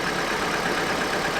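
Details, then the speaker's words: Vauxhall Astra after new spark plugs and O2 sensor, engine light still on: smooth quiet even idle with no knocks, slight belt squeal; engine running well. "I'm not sure why but you can definitely hear on camera how much quieter the engine running there's a little bit of belt squeal but the actual engine seems to be running sweet"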